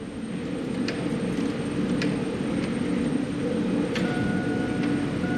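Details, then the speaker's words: 2001 Chevrolet Silverado, new replacement blower motor measured on a lab scope, about 43 A startup current and about 10 A running: fan whoosh rises quickly and then holds an even, steady rush without rubbing or squealing; healthy blower startup. "yeah and we had about 43 uh amps as far as startup current flow"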